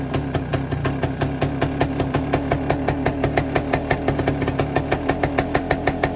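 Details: 1973 Suzuki TS250 Savage two-stroke single, revived after 25 years in a barn, running on auxiliary tank: even ring-ding popping, roughly three beats a second, steady idle without misses or knocks, oil line pumping properly; normal idle.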